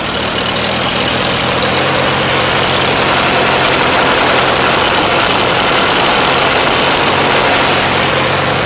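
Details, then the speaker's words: Farmall A tractor, older restoration, fresh battery, holds good oil pressure; small governor issue with no throttle linkage hooked up: steady, even idle, regular low putter around four beats a second, no knocks or misfires; runs good. "It runs pretty good. It's got a little governor issue. There's no linkage hooked up to the throttle control right now, but it starts off good."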